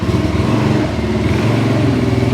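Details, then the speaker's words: 2022 Kawasaki Brute Force 300 ATV (complaint: lost low gear), after clutch work, ridden with head-mounted mic and wind noise: single-cylinder putter pulling away under light throttle, reverse engages smoothly with no bump or clunk; normal reverse engagement. "so there's reverse nice and smooth no bump no"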